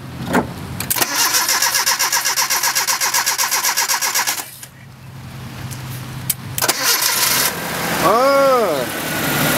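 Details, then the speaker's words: 1987 Nissan D21 pickup, four-cylinder (called Z24, also called KA24 by one speaker), after fuel pump replacement: cranks about four beats a second, fires after a pause, settles into an even idle; normal start and idle. "good with it hers like a kitten hell yeah oh that's a ka24 EO that was [ __ ] beast hell yeah fuel pump done"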